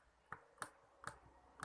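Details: Xbox One controller left trigger: sharp plastic clicks about every half second with each press, right trigger fine; owner opened it and found nothing visible, forums suggest a screw hitting something, cause unconfirmed.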